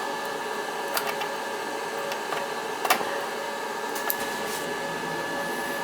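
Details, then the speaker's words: Riello oil burner on an NTI direct-vent boiler, annual service, running: steady even roar with constant hum and light handling clicks; burner firing smoothly and healthy. "Yeah, she's running good. Fired up nice."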